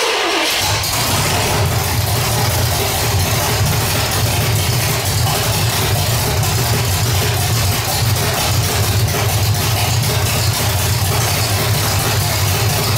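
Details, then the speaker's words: 1985 Stepside V8 with cam, roller rockers and headers, gummed-up old carburetor slow to get fuel flowing: steady, loud run with rhythmic choppy cam lope and no knocks or rattles; healthy. "so yeah that old carburetor is uh you know pretty gummed up and stuff so you know it took a little bit to get the gas flowing through there but definitely sounds good you can definitely hear a little bump in the cam and uh sounds pretty healthy"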